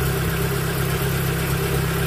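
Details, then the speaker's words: Proton Wira after replacing the faulty ignition coil that caused stumbling when warm; low, steady even idle with no misses or shaking, vibration gone. "Okey. Enjin tak ada gegaranlah. tadi ada gegaran tau."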